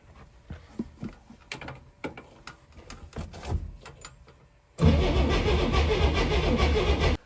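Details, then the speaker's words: 1964 Chevrolet Corvair first crank, fresh battery: starter spins engine evenly but it never fires; no spark though coil had 12 V and tested good, fixed by cleaning distributor points. "we weren't getting any spark so we checked the power to my coil and it was good"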